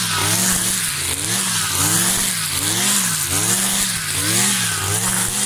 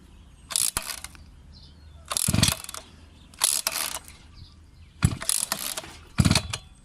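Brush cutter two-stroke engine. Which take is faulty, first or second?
second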